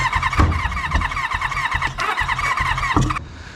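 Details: Kawasaki Ninja motorbike engine, for a swap into a Reliant Rialto, cranked with one spark plug out to test for spark: quick, even starter chugging for about three seconds without firing; spark found very weak, new plugs planned.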